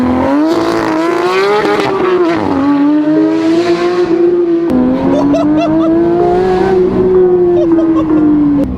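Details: Rebuilt crash-damaged Porsche 911 GT3 with JCR exhaust: crisp, clean blips rise and fall smoothly with throttle, and the exhaust note climbs and drops evenly with no misfire; engine revs healthily.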